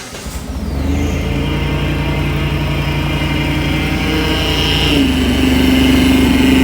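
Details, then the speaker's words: Phase 1 supercharger setup with a blow-off valve and an open filter on the intake pipe, still being tuned; engine fires and holds a fast, steady idle under a loud, constant high whine and air rush; normal supercharger whine, intake to be reworked. "i gotta rework this intake it's so loud i'll start it up for you right"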